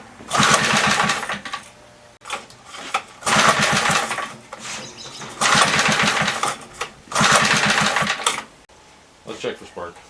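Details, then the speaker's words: 1976 Tilly rototiller with 3hp Briggs & Stratton, not run for years, very loud muffler; loud single-cylinder fires in short bursts then abruptly shuts off as if killed; owner suspects lost spark, possibly points; engine cutting out. "part it sounds like just somebody reach over and shut it off so could have lost spark if it did i'm probably going to be into a set of points not sure yet got no spark"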